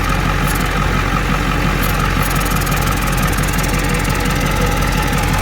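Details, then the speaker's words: Ford 7.3 diesel idling during a brake booster check for a soft, spongy pedal: a soft pulsing beat about three a second under the clatter, which if heard with the hose connected means a vacuum leak to chase down, for example with a smoke test. "So if you're hearing that, while it's connected, that little pulsing sound, then you know you have a leak and you need to chase down that leak."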